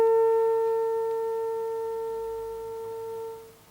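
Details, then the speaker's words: Dynatron record player amplifier on bench test with signal generator, oscilloscope and two JVC test speakers: a pure steady test tone fades down and back up evenly with no crackle or scratch as the volume turns, so control and output are clean. "as you can see folks that goes nice and smooth down and nice and smooth up"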